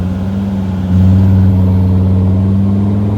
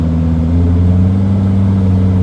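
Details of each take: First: T1N Mercedes Sprinter diesel at full throttle: low steady drone holds flat, then jumps louder as boost arrives late and the van jerks; owner suspects the turbo sticking and unsticking from damaged vanes. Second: T1N Mercedes Sprinter turbo diesel, suspected of damaged, sticking turbo vanes, driving steadily slightly uphill under light load: an even low drone with no surging or whistle. Normal turbo sound under load.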